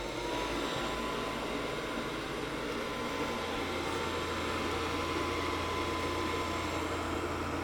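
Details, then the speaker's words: Gas furnace in for an igniter-on-but-no-gas complaint, test-fired again after 15–20 minutes of running; inducer (ID) motor spins up with a steady whoosh and faint whine, then its pressure switch closes and the 24 V safety check passes. Normal inducer startup. "And so again, the sequence of fire, ID motor, pressure switch to the ID motor is closing first. 24 volt safety check, everything is closed."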